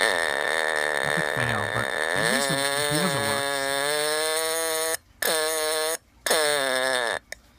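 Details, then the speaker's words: Sears Early One fire detector on a 9-volt battery, test button not working, opened and pressed by hand: buzzy, wavering, sagging fart-like tone that drops out; owner unsure, possibly needs an alkaline battery; weak distorted alarm. "It sounds like a fart or something like that."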